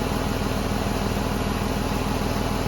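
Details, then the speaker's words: 2006 Ford Escape 3.0 V6 after alternator replacement, running about half an hour under load: even smooth idle with steady low pulse, no ticks, knocks or whine; normal idle. "All right, she's been running for about half an hour now. As you've seen, I put a cool load on it. Everything's doing good."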